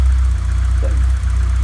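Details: 1991 Nova GSi, original 1.6 8-valve, just cold-started after long storage with fresh fuel: even steady four-cylinder idle, no knocking; slight startup smoke after earlier head gasket and valve stem seal work.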